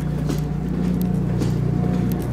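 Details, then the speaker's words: New Cummins 17 kW generator for an off-grid house, just installed, first run on gas, fairly quiet from nearby: a steady, low hum with an even drone and no knocks or hunting, running normally. "the control panel's working it's fairly quiet walk in here and see how loud it is you can definitely hear it"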